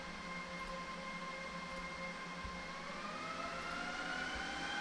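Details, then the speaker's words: Pure FlashArray controller rebooting during a Purity software upgrade: fan whine climbs steadily in pitch over a few seconds as the controller comes back online with power and network up. This is a normal boot ramp. "the the fan ramp up is the like right as the controller comes back online and so the the power is on the Network's on"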